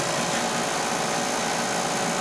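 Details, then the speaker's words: Older power venter on an oil furnace, motor replaced about 7 years ago, last serviced about 3 years ago, no oiler; constant harsh buzzing rattle like a loose fan shaking on its mount; vibration, found to be a broken fan blade inside. "Got a vibration. Up in that power venter."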